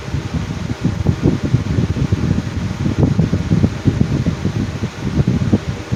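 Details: Black 2019 Lasko Cool Colors 20" box fan running on high: steady airy whoosh with uneven low flutter and thumping pulses, table vibrating; blades show no cracks or chips, balance issues suspected, poor spin-down.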